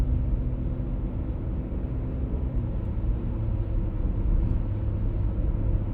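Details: 1996 pre-facelift BMW E39 523i automatic, humming noise while driving at 50–60 km/h and also 70–80 km/h: steady low drone under road noise with no rhythm; source not yet found.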